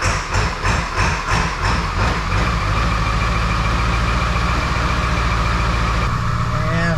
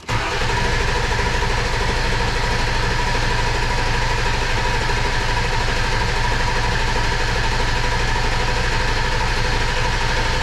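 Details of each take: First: 2002 7.3 Powerstroke diesel, unrefined tune (HP Tuners), glow plugs cycled, about 60°F: slow rhythmic cranking about two seconds, then it catches into a steady deep idle. A normal cold start and idle. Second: 2002 7.3 Powerstroke diesel, first start after engine install: starter turns it over evenly at a steady rate but it never catches; no fuel pressure, reportedly air still in the fuel system.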